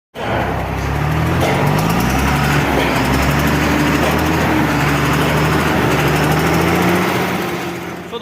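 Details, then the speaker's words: Cummins diesel truck engine running: rapid uneven tick-tick over the low rumble, engine lacking power but no black smoke; head gasket found leaking at cylinder six. "मैं यहां से जो है gas लेकर रही थी जिसकी वजह से वो टक टक टक टक टक की आवाज इंजन में आ रही थी"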